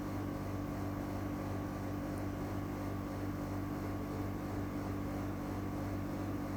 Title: NEW EUROPACE CASEMENT AIRCON EAC701W WITH LOUD NOISE (Recored from 4 m away)